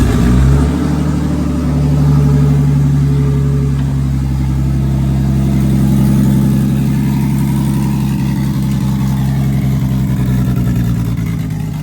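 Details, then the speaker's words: Nissan 350Z first start after Pocono crash, battery reinstalled: engine fires, revs briefly, settles to smooth even idle with no knocks or rattles; engine undamaged. "Looking good. Oh yeah, we're alive, baby. Nothing happened to the engine."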